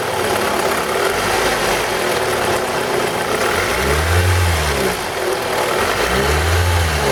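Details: 2002 Toyota RAV4 idling and blipped: a rapid rattling knock that rises and falls with revs; the VVT-i coupling is suspected, not confirmed.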